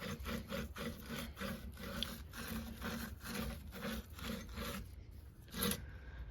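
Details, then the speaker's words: Rear wheel bearing of a 2005 Volvo S60R, hub turned before replacement: rough, gritty rasping in quick repeated strokes, the grind of a worn wheel bearing. "I will now start the other side. And this is why I needed wheel bearings. Listen to this."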